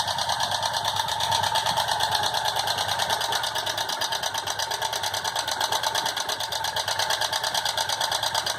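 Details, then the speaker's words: Motorcycle idling with rapid, even metallic clatter about three times a second, source unclear; no smoking, valves adjusted and all settings done yet the noise persists; abnormal engine noise. "com um barulho estranho no motor. O que pode ser?"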